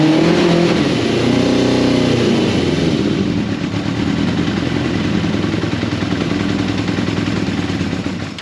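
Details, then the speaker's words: 1989 Yamaha FZR600 Genesis four-cylinder revving after over four years unstarted, on old fuel: uneven, lumpy beat not smoothing with revs; misfiring, seemingly not running on all cylinders. "sounds like it's misfiring like it's only running it's just this"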